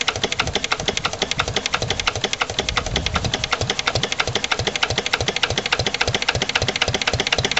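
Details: Lister LD1 single-cylinder diesel on a chilly morning, after a fuel filter change and bleeding. Slow idle at roughly four to five beats a second, sharp clattery firing, slightly uneven. Owner suspects the injection system isn't right, possibly a missed bleeding step.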